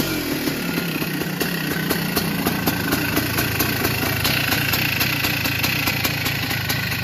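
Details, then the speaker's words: 1982 Yamaha YZ490 big-bore two-stroke, started after fuel poured down the head: uneven idle with a rapid metallic rattle over the firing beat; owner thinks the motor is getting old, says they all rattle; unconfirmed. "Sounds like it's getting a bit old in the motor. Might just turn it off. Sounds like it's a bit rattly."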